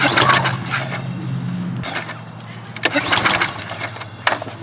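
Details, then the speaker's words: Troy-Bilt pressure washer with Briggs & Stratton engine, cold, starting fluid in carburetor: repeated pull-start bursts with brief spin-down, never catching; no-start. "all right guys that's surprising to me that it's not firing even on the starting fluid"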